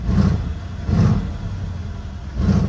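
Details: Mercedes CLS 63 AMG at Copart, salvage title, fired right up, low on fuel, tire pressure and auxiliary battery faults, temperature normal; three sharp deep blips about a second apart fall cleanly back to smooth idle, V8 revs freely and healthy.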